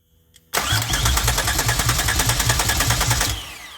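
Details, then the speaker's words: 2004 Grand Am with 3800 supercharged V6 and 5-speed swap, first start attempt after adding 5 gallons of fuel, fuel pressure no higher: about three seconds of cranking with strong firing pulses catching between turns, but it never runs on its own. "Oh buddy. Man, she wants to start. I know y'all heard that one."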